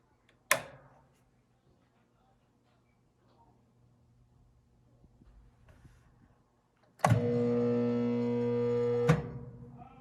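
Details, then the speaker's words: SawStop table saw at Banff High School, unsuccessful start: thunk, then about two seconds of flat loud hum never climbing in pitch before cutting off; motor fails to start. "So this is what happens on an unsuccessful start."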